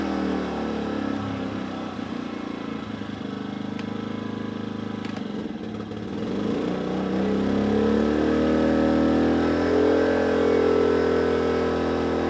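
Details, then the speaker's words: Briggs and Stratton P2400 generator, heavy load: steady drone rises in pitch, holds while catching up, then settles to even running; normal load response. "it's trying to catch up, and it's good again."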